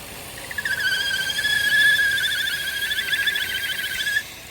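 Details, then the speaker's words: Vauxhall/Opel Insignia 1.6 SIDI A16XHT idling: high steady wavering whistle/squeal from the camshaft seal area caused by a failed PCV valve; noise stops when the dipstick is pulled; fix is replacing the rocker cover with integrated PCV valve. "so if you have this issue where you pull the dipstick out and the noise goes that means you have a party PCB button"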